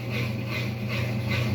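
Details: Mabe 21 kg washing machine that was locking up with the last (start/pause) LED flashing: steady low drain pump hum with a soft water whoosh pulsing about every 0.4 s, the pump running evenly and normally.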